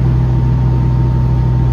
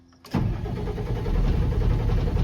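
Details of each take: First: Diesel-powered hay swather during third alfalfa cutting, running again after tank ran dry and refilled, lift pump cycled; strong steady low drone with constant hum, no misses or surging; runs far better with fuel, normal running. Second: Swather's common-rail diesel after running out of fuel, with about 6 gallons added and the key cycled to run the lift pump: steady cranking that doesn't catch; the lift pump pitch changes, so the owner believes it is getting fuel.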